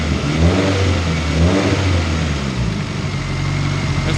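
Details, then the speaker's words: Honda CR-V turbo build on base map, timing belt perfect, 75 psi oil pressure: two quick throttle blips rising and falling cleanly, then smooth even idle, no turbo whistle or rattle; deeper than raspy, whiny pre-turbo sound; normal idle and revving. "and uh it sounds way deeper with a turbo on it because before it was raspy as a clock and it was winging yeah wingy raspy whatever you want to call it sounded like Dookie now it sounds food"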